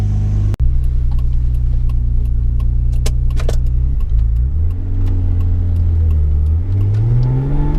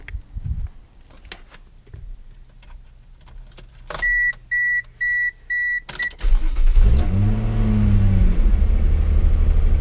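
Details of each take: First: Mazda MX3 with KL "big block" V6 swap, warm idle after sorting high-idle problem: ECU still learning, idle hangs slightly high at first then drops properly once warm; steady smooth idle, no hunting or hiss. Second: Mazda MX3 with KL V6 swap, after battery disconnect reset to clear codes: chime beeps, engine cranks and flares, idle hangs slightly high while the ECU relearns, dropping properly once warm; high idle during ECU relearn.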